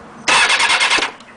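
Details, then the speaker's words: M13 motorbike with freshly charged battery: under a second of quick, even starter whirring, no firing or catch; cranks but won't start, cause unknown. "Put the choke all the way on. Press the button. Nothing."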